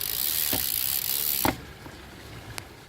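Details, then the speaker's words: Zipp 302 rear hub freehub coasting: fast fine buzzing ratchet fading to spaced clicks as wheel slows, quieter than a Chris King; normal healthy freehub ratchet clicking. "not as loud as like a Chris King I can actually get it there no near sounds like a Christian with a nice noise on this done now"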